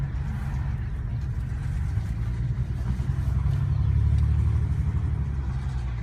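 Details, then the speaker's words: BMW 335i after cold-start warm-up, low engine drone with uneven lumpy pulse about four times a second, sounding like a misfire; plugs changed 2.5 months ago, owner suspects coil pack or injector, cause unconfirmed; restart sounded normal. "Listen to the sound. Sounds for sure like a misfire."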